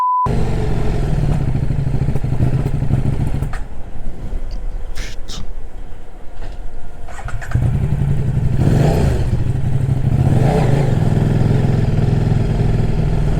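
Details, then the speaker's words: KTM RC8 R idling lumpily and unevenly, stumbling and sagging for a few seconds before recovering, because the throttle-body intake boot has blown off; the owner also suspects a failing head gasket. "Donc c'est sûr que le manchon de comment ça s'appelle ? De rampe d'injection, il a il a repété, c'est obligé."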